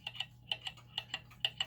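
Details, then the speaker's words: German time/strike pendulum clock being set in beat by adjusting the crutch: tick-tock in uneven pairs, short gap then long, about two beats a second; still out of beat. "it still sounds uneven so I'm going to push it a little more in that direction okay still sounds a little uneven"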